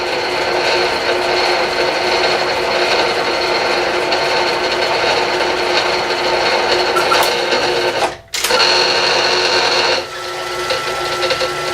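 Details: Bridgeport mill cutting a fixture plate with Niagara cutters: loud steady high harsh whine with a ringing edge, briefly cut off; like nails on a chalkboard. Cause not confirmed.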